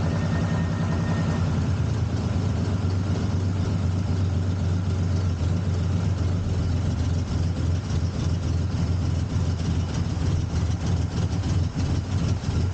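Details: First start of a 1979 Ford Capri Mk3 3.0 Ghia V6 after about 20 years laid up, after boosting battery voltage from another car: even, low-pitched idle holding steady, no ticking, knocking or stumbling; running normally.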